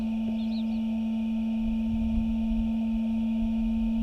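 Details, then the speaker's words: Ram pickup with new Headlight Experts CANbus LED headlight bulbs: a steady high-pitched whir from the bulb's small cooling fan, slowly winding up over about a minute like a jet engine spooling up; normal fan noise. "Can you hear that noise? it is slowly wound up over a minute. It sounds like a jet engine spooling up."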